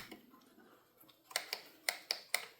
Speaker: Yep, motor gave out. I'll pull it apart, take a look at it. Yep, that's it. Motor shot.